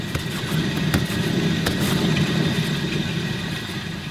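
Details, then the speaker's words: 2004 Toyota Highlander, wheel spun by hand, audio boosted: rough, gravelly tumbling-rocks rumble with an uneven churning beat that speeds up with the wheel; worn wheel bearing. "what you're listening for is kind of like a tumbling rocks kind of growling sound and it gets faster the faster you can spin"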